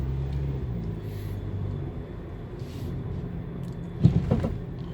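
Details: 2011 Nissan Cube driving over a bump: low rumble, then a brief metallic clatter from under the car, a sagging first muffler after the catalytic converter striking metal.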